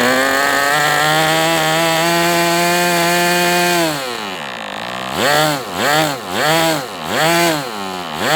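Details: MDS 68 FS Pro model engine on a break-in run, smoking heavily from the exhaust: steady high raspy buzz, then clean rises and falls on throttle blips. Runs well, better than with the idle bar plug, after carb tuning.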